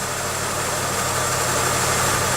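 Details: 1995 Pontiac Grand Am idling after removing a temporary coat hanger on the catalytic converter, whose squeak sounded like an alternator bearing: a steady, even idle with no squeak or rattle. It sounds normal.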